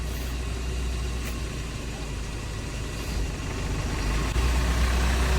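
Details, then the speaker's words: Hyundai Starex VGT diesel that had a helicopter-like drone underneath and clanked on acceleration, after differential clearance adjustment: steady, smooth low rumble with no clunks or drone; the noise is gone. "Ayan na siya ngayon oh. Okay. Wala na yung kalakalampag niya."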